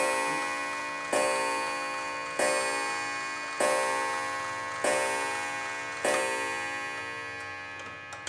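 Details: Antique clock reassembled with strike train adjusted, striking on the hour and half hour while being advanced: five clear bell strikes roughly a second apart, each ringing out evenly; normal striking.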